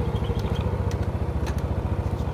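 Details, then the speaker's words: Yamaha Mio scooter after carburetor service and air-screw/idle adjustment; steady, even single-cylinder putter at low idle with no misses or hunting, idle settled and smooth. "langsamnya disesuaiin aja guys ya Nah ini Udah enak nih sekarang kita coba tes-tes ya"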